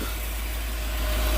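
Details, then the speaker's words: Volvo 740 after all new belts, new oil filters, full new exhaust and new fuel pump: low, smooth, even idle with no knocks or ticks, mostly just the cooling fan heard; engine running healthy. "But it's uh sounding a lot nicer. Sounds like a Volvo again where all you can hear is the fan."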